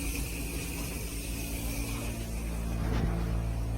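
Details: Steady low drone with a faint thin whistle from an indoor faucet while hot water runs; the faucet noise was gone after the plumbing was reinstalled.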